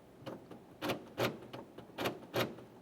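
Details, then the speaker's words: 2011-2020 Toyota Sienna with a newly installed aftermarket door lock actuator, heard at the door while pressing the lock button: crisp, short, solid clunks, about five in three seconds. The actuator is functioning normally. "I can hear it functioning like it should"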